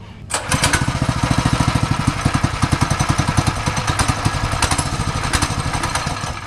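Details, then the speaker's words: Newly acquired old free pit bike, no chain, after starting fluid and oil added: rough uneven popping idle loping irregularly, barely holding on and starved; any more than idle throttle kills the engine. "giving it any more than idle throttle kills it touch it right what's going no right"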